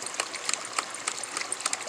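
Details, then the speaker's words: LandToHouse ram pump, 1-inch supply reduced to 1/2-inch into a shutoff valve, pumping about 70 feet uphill through 1/2-inch poly: sharp metallic clacks about three times a second with lighter ticks between, the waste valve slamming quickly. "and then I got a threaded male nipple going into the shutoff valve there, and you can see how quickly it's operating."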